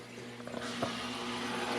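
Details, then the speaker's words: Rebuilt electric hot-water boiler, thermostat calling for heat: gurgling, trickling water over a low, steady circulating pump hum, with the odd bubble pop. Air is still working through the heating loop; the system was not bled, just left to circulate. "here's our there's going to be Airness system I I don't feel like going around all the bleeders I've actually done it like this before and it worked just fine last time I rebuilt it so we'll see"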